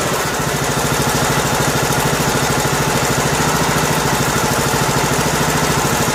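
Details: Two-year-old Husqvarna riding mower, 18.5 hp Briggs & Stratton Intek, test run after replacing broken compression release, camshaft and tappets, choke on: runs steady and even at fast idle, firm regular beat, no misses or knocking.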